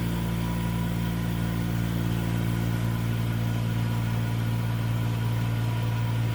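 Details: Denton DV 602 RF sputter system mechanical roughing pump switched on at start of auto pump-down: steady, even low drone with no knocks or surges; running normally.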